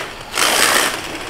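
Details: Arrma Typhon 3S RC car bashing at a skate park: sudden harsh burst of rapid ratcheting and grinding from the rear drivetrain; plastic rear differential gear stripped, leaving it front-wheel drive only.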